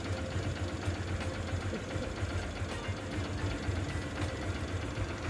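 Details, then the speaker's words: Honda Shine single-cylinder bike after a full engine rebuild, engine otherwise very smooth at steady idle: light quick metallic ticking about four a second, from valve clearances deliberately set loose; tappet tick. "చిన్న చిన్నగా engine లోపల tick tick tick అని sound వస్తది అన్నమాట ఎందుకంటే అవి loose పెట్టాలన్నమాట"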